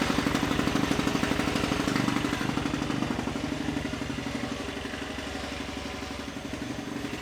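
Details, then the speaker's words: Tillotson 236R two-stroke engine, first start on the dyno after a build: fires easily into crisp, even popping at a steady idle with no misses. Normal idle. "Well, that's a bit of a milestone that is. So, yeah, it seems to fire up pretty easily."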